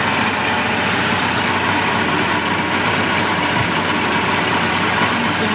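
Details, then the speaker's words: 1988 Mercury 70 HP inline outboard after carburetor work, smoking a little as fresh fuel reaches it: busy, raspy two-stroke idle holding an even beat without stumbling or hunting; idling cleanly. "look here boy the sound of these these inline mercs i just i just love the way they sound and they even sound better out of the tank on ears"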